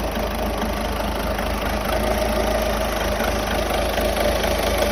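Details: Seat Ibiza 1.6 TDI 105 hp diesel at idle: steady idle with a faint light tick and thin whine underneath. Owner unsure whether it comes from the timing belt or the injectors. The car also stalls when the air conditioning is switched on.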